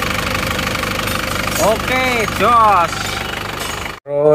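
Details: Isuzu Panther diesel after rebuild (one liner, piston ring set, gaskets, thermostat replaced; previously smoking), warm at idle: steady even smooth beat, no knocks or misses; healthy and settled, repair successful.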